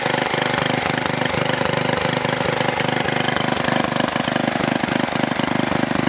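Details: Troy-Bilt Super Bronco tiller, bought locked up, possibly stuck reels, now repaired with exhaust warm: even single-cylinder chug at steady idle, about three to four beats a second, no misses or knocks; normal running.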